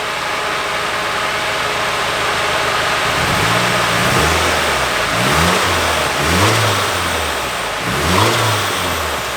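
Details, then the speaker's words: Nissan 240SX S14 Kouki SR20DET misfiring, running worse after a vacuum line was touched: short rev blips about every second, each lumpy and uneven; unplugging a coil pack made little difference, faulty fuel injector found. "Alright. So it's running like ass. But look at this. I'm gonna unplug this coil pack. It didn't make a big difference."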